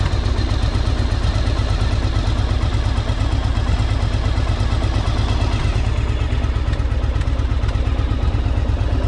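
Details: 1984 Yamaha Virago 1000 V-twin running after carb flooding fix and refitting cleaned fuel tanks, no fuel leaks; strong steady low beat with even firing pulses, no knocks or misses; sounds good, owner notes a little backfire.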